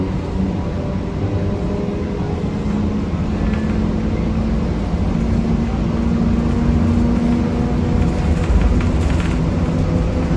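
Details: Riding aboard a 1993 Gillig Phantom 35' bus (Cummins ISM, Allison B400R transmission) at road speed. A steady low rumbling drone with a rough, gritty grinding undertone runs throughout; the rider suspects the transmission, unconfirmed.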